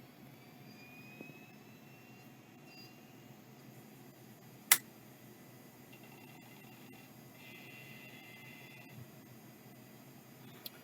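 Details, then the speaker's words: Seagate ST2502N SCSI hard drive, secondhand, first power-up: faint whir rising in pitch as platters spin up, one sharp click, then quiet steady spin with no error code blinking; normal spin-up. "that sounded like it works it's not blinking an eror code it's still spinning"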